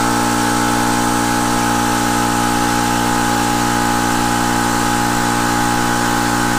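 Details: Air compressor started on mains power through a Kill-A-Watt meter, after failing to start on a Harbor Freight Jupiter 5000 W inverter. Steady, even motor hum with constant pitch and no stumbles; normal running.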